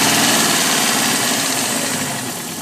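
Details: Alfa Romeo 145 1.6 boxer at idle: a fine, quick ticking laid evenly over the engine note throughout; source unknown.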